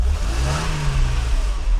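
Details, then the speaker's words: Mercedes W126 300SEL with M103 engine, tested after a fully refurbished fuel distribution plate was reinstalled, warm at about 80 degrees; starts on one turn, smooth even revving with a steady deep exhaust note, no knocks, misfires or rattles. "Firing up. The temperature is about 80 degrees. It starts right up with one turn. It fires up as soon as it heats. Runs very smoothly. So this M103 engine has no issues."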